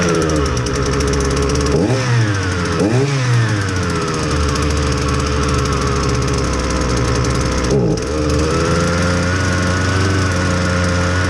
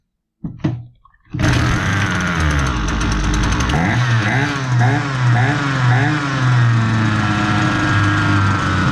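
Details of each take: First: Husqvarna 326LD string trimmer, low on power, test run on clean fresh fuel before repair: a flat, weak drone with sluggish revs that sag back on each throttle blip, fuel metering trouble from a stiff carburetor metering diaphragm. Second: Husqvarna 326LD string trimmer, complaint of low power, after fixing a very stiff carburetor metering diaphragm, running with no attachment so idle sounds fast: fires up and holds a fast steady buzz with slight wavering rev; running clean.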